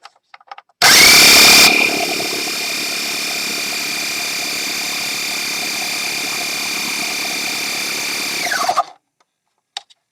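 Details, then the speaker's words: Very old Sears air pump after resealing the spigot with a flattened seal and an O-ring, aimed at reaching 30 psi: sharp start, then steady, even high-pitched buzzing drone until switch-off; holds pressure for tires, maybe a small leak. "perfect look at that oh yeah that's that's doing it there might be a little bit of a leak here now at this point but it's certainly enough to hold the pressure here for uh for blowing up tires"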